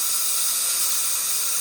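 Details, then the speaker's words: 2003 Ford 6.0L diesel, valve cover off, engine not running: air test gives a steady high hiss past leaking injector O-rings, far back and center seals gone; causes no-start, usually on hot start. "And there's our leak coming from this injector right here. Big leak. Look at that. A little O-ring will stop these trucks from running, and that's exactly what happened."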